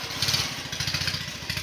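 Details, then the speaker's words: Bolens QT17 garden tractor, engine previously stuck from years of sitting, cylinders soaked in diesel, jumped at the starter since the key won't crank: quick even chuffing crank, about a dozen pulses a second, no drag or binding; engine cranks freely (later found no spark). "Cranks over. I am happy about that. I'll do that again. It's very satisfying."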